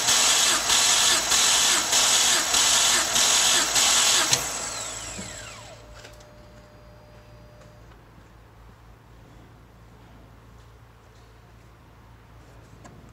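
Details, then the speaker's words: BMW N52 during compression test with plugs out: about four seconds of fast, even starter whirring with no stumbles; readings about 160–180 psi, engine judged healthy after the oil separator fix. "think i need to be cranking it a lot more that's one 180 wow you know what guys i think this engine is healthy"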